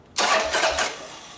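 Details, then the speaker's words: Harley big twin cranked: a short burst of starter churn that never catches and fades; little fuel in the carburetor, fuel not reaching it. "cranking all day ain't gonna make no difference i know i know ask how much fuel is in the carburetor it doesn't appear to be very much at all well you're not getting fuel to your carburetor"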